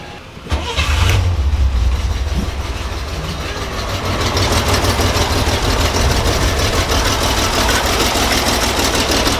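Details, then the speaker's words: 1963 Chevy Corvair Monza engine cranks and catches, then idles with a light regular tick from a loose valve during valve adjustment; the tick went away when the first valve was loosened. "so if you guys can hear that's the little ticking noise i just loosened this first valve right there it went away"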